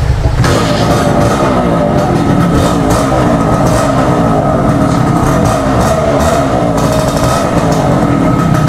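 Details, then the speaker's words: Honda Click 125i or Suzuki X4 motorcycle, hard starting after over a week unused: engine held on constant throttle with a busy, slightly uneven revving note and no settled idle. "Wala siyang Menor ngayon"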